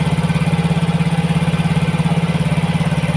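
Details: Yamaha Mio GT injected scooter after injector replacement, CO fuel trim set to 15% making the mix richer; mixture balance reads -7, idle held high at 2000 rpm. Fast, steady, even beat that never settles; high idle from over-rich CO trim.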